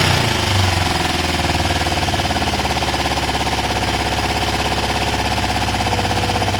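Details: Kawasaki ER5 twin, 62,000 on the clock, low fuel on reserve, rescue project nearly finished: catches quickly and settles into a steady, even twin idle with no misses or knocks; normal start and idle.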